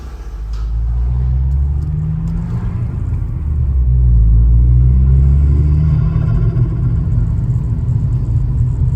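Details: Turbocharged Vauxhall Astra GSi on a 2-degree morning, after fitting correct spark plugs gapped to 0.7 (previous plugs misfired on boost): deep smooth drone rising evenly as revs climb, no stutter or popping on boost; clean acceleration.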